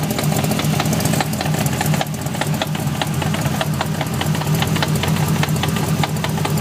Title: e30 v8 5 speed gearbox knocking noise